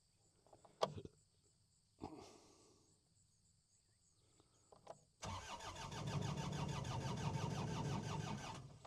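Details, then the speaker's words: New Holland L218 skid steer that sat two to three months, cranked with the fuel filters believed full: an even, brisk starter beat of about three pulses a second for several seconds, never firing; two relays were later found bad. "All right. So, it doesn't want to start."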